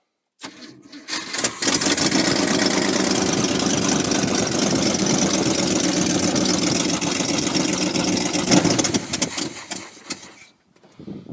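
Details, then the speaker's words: Old square-body C30 dually with 454 big block, after adding about 4.5 gallons of gas: long steady cranking about four beats per second, never catches; no fuel reaching engine, gasoline dripping, suspected hole in tank. "No fural fellas. None whatsoever. H I think it should have done pulled it by now."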